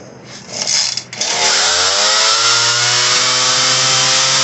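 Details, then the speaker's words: Ryobi RY3714 chainsaw before carb adjustment; customer likely messed with it: fast, steady, high-pitched buzz, idling far too high; otherwise runs fine. "idle is really high this one in here here we turn on the uh torch is idle screw so it's idling high"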